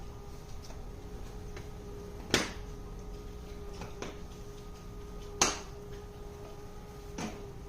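Quiet room with light ticks every second or so and a couple of sharper clicks; the mechanism is clicking, cause unknown.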